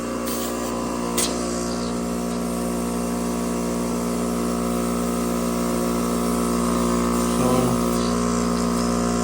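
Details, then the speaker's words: Bench test of a Fluoromizer 3500 refrigerant recovery compressor that had not worked earlier: steady, even hum of constant pitch, no knocks or rattles, 4.5 A against a rated 5.6 A, good suction and discharge pressure; normal running. "Okay, it works. Sounds healthy. Only 4.5 amps. You can hear it vibrating away, pumping like a little dog."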